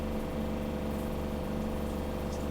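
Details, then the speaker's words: Gasland CG360LP propane tankless water heater, just installed, after resetting to change the temperature setting: the igniter is heard, then a steady, even burner hum with no popping or sputtering as the flame runs and water warms; normal burner operation. "I heard it. I heard the igniter go."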